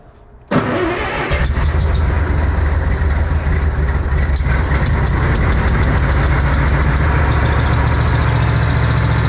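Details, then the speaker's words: Old Bobcat 600 cold-started with starting fluid on a snowy day: steady low idle with faint fast ticking hiss, worse cold, better warm, louder under load; owner hopes exhaust gasket leak but fears head gasket. "yeah it's really bad now that it's cold I'm hoping that's just a exha leak kind of starting to really sound like a head leak again"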